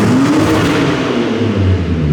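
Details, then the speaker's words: RB26-powered Mustang, just fitted with a new exhaust that has a slip-fit joint, some muffler and a tip routed away from the tire. Deep, smooth revs rise and fall with a clean note and no rattles or leaks; it sounds much better. "oh that sounds so much better let me watch the lip keep going"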